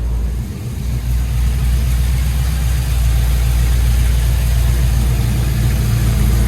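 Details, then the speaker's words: LS-swapped C10 after a tune change that took out fuel and added timing: a deep, even V8 idle with no misses or ticks. Still slightly rich, with exhaust drone because the tailpipes aren't run out back yet. Normal idle. "let's see what she sounds like oh my god it sounds beautiful it honestly sounds perfect"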